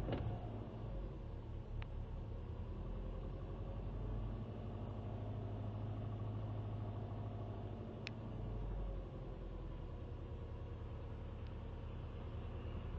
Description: Weird cold start problem that recently started where the rpm goes up and down.